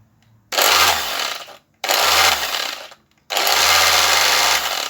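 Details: Electric sander, first test after a temporary patch repair of a faulty coil secured with two screws: three short bursts of high whirring motor noise about a second each; runs again but seems slow to build speed.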